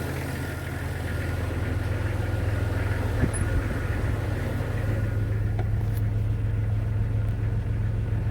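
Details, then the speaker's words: Jeep Cherokee XJ 4.0, previously rough, fluctuating idle, after cleaning the idle air control valve and throttle body; steady, even low idle with no hunting or stumble; normal idle. "Seems to be doing okay. Seems to be idling just fine."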